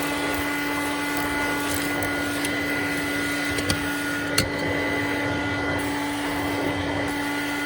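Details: Hoover Dial-A-Matic Model 1136 clean-air upright vacuum (840 W, 7 A motor), suction control on high, hose test: steady high-pitched hum and whine over coarse airflow, slightly rough; owner says motor sounds like it needs re-greasing.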